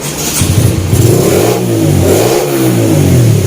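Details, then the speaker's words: Honda Sonic 125 after a major service with new spark plug, bearings and oil and a repaired starter motor, started cold with a little choke: it catches and revs through a few blips without stumbling. It idles without stalling and accelerates well. "เย็นดึงโชคนิดเดียวนะครับแล้วทีเดียวแล้วก็สามารถใช้งานได้เลยครับเบาไม่ดับทำเร่งดีสุดเสียงเสียงเลยครับ"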